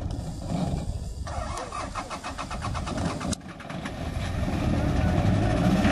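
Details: Engine hydrolocked after swallowing water, Akamas, Cyprus; slow, laboured cranking at about four strokes a second, then a rough catch and uneven running.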